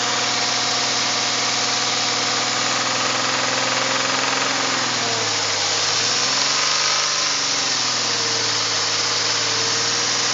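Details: 2001 VW Jetta GLS VR6 12v petrol idling with a slightly uneven beat and a brief rev, misfiring cylinders.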